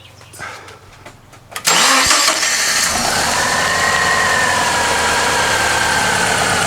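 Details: Subaru Impreza previously crank-no-start (no spark suspected after being moved a few meters and shut off), now repaired: cranks briefly, catches cleanly and settles straight into a steady, even idle with no misses or knocks; normal start and idle.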